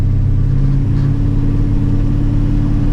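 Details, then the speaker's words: 1985 Chevrolet C10 V8 during timing adjustment, vacuum gauge reading 10–15 (owner suspects late timing or poor gauge seal; cracked vacuum line later found leaking): steady, even low rumble at idle, no missing beats; normal idle. "but again I don't know if that's because I didn't have a good seal on there or not but she's definitely running"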